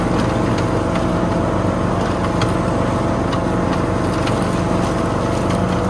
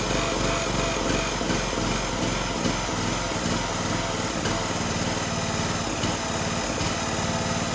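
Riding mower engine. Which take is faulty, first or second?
second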